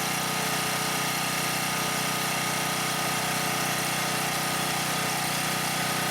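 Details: Husky 1850W generator (about 5 hp) with Mikuni T3044 carburetor that wouldn't run right after three cleanings, converted to natural gas, choke closed, gas opened slightly: steady even drone with no stumbling or hunting; runs clean and healthy.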